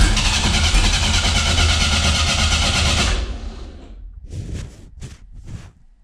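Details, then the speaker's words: 500 hp 2.3 engine at first start-up, with oil pressure and fuel pump confirmed: fast, even cranking with a couple of brief firing surges, then it dies. It wants to run but won't keep going. "close i mean you hear it wants to run right that's something"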